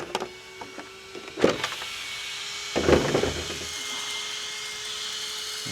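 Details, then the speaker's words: ARRMA Mojave 4S RC truck after first upgraded run in snow and a wash: thin steady high whir of the small cooling fans under handling knocks; fans still working, motor and ESC still cold. "The fans are still working, so that's good."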